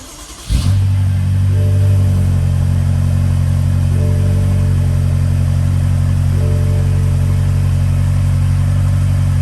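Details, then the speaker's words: 2016 BMW X5M N63/S63TU V8 after a spark plug change: brief crank, catches at once and settles into a smooth, even idle with no stumble or misfire; normal start and idle. "nothing like his misfire or anything starting normal recording so pretty sure everything's good to go"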